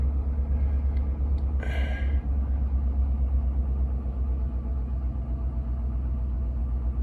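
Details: Chevy Avalanche after replacing a leaking fuel pump module, one gallon of gas added, pump primed: engine catches quickly and settles into a steady, even low idle with no misses, knocks or ticks.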